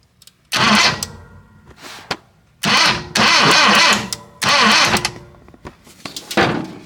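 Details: 1966 Datsun 520 farm truck abandoned 40 years, coil and points being checked: several short cranking bursts of about a second each, engine never fires; cranks, no start.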